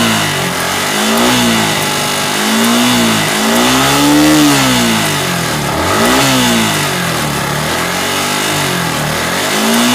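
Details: Yamaha R15 V3 BS6 motorcycle, checked for valve clearance noise: revs climb and fall cleanly with even firing and no top-end clatter; healthy, normal revving.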